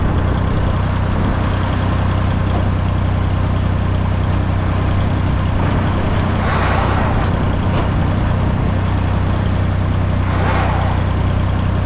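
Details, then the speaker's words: International 454 British diesel loader tractor driven in third gear, high range, after its missing was cured: steady, even drone with some wind noise, no miss, sputter or smoke. Normal running under load. "It's running pretty good. Not missing. Not sputtering. And not smoking either, which is like I said, it it cleaned up pretty damn well."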